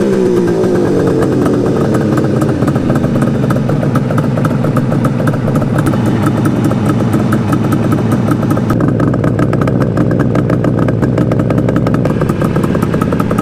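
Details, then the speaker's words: 1973 Suzuki GT550 two-stroke triple, first start after 10 years stored, slightly warmed: busy crackling steady fast idle, even firing, no misses; smoke slowing but still far too much, owner wonders if the crank seal sealed up with heat. "the smoke is definitely slowing down though maybe the crank seal sealed up it's a little bit of heat I don't know and smoking way too much"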